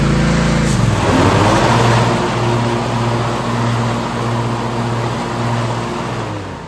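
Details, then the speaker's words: Riding mower after replacing a worn-out bushing inside the deck spindle bearing: engine settles into a smooth steady hum with the deck and blades spinning, no wobble, knocking or vibration. "So she sounds pretty good. There's zero vibration while the deck is running."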